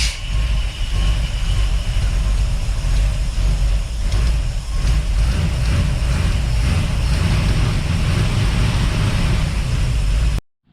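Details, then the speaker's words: Engine test run with no alternator fitted: steady low rumble with a faint, uneven metal-on-metal clack like a very loose rocker arm, heard low on the engine, not the valve train, intermittent, sometimes loud, sometimes absent; cause unconfirmed. "it is down here and it's a metal on metal clack that sounds like a rocker arm if the rocker arm's super super loose you know how they just kind of clack clack that's what it sounds like but it is intermittent light and and loud"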